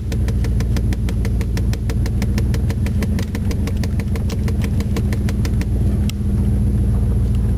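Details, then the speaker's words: 1993 Chevrolet 305 V8 fuel-injected truck, started on about half a gallon of added fuel: even, steady idle with a regular low pulse, no misses or knocks; described as a little rough but runs good, normal idle. "[Music] definitely a little rough back in here runs good"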